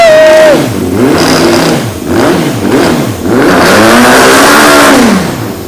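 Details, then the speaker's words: 2003 Honda CBR954RR, sat outside 15 years, after reseating the unseated intake that had caused flames: engine snaps up and drops back cleanly through quick blips, no stumble or popping, tach rising; normal free revving. "The needle for the RPMs was actually going up, too."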